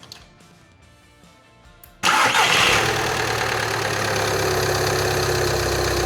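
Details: 2012 VW Jetta TDI, just under 130,000 mi, with a clanking noise, after a new part was installed and the transmission fluid was refilled. A quick clean crank, then it catches and settles to a steady, even idle: a normal startup.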